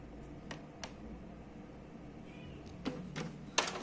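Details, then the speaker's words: Epson L3150 printer making a copy after power-up: quiet hum, then irregular sharp clacks and snaps as the carriage moves out of sync and forces the paper pickup, causing an error. "ele o movimento desse aqui parece que tá não tá sincronizado ele dá uma forçada aqui no onde puxa o papel e aí ele provoca o erro e faz um barulhão dessa vez não fez"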